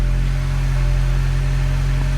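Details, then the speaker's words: MINI Cooper N18 1.6L turbo after replacing a burnt valve (cylinder 2 misfire), very first cold start: steady, even low hum with no stumbles or skips; normal idle after repair. "As of now, there's no misfires. I don't feel anything. Of course, it's just a first cold start."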